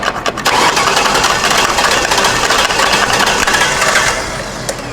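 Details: 2006 Ford Taurus, no start after salvage-yard engine swap, old fuel: cranking with ragged firing that catches and stumbles while injectors are beaten on. Six fuel injectors were stuck closed; it barely runs.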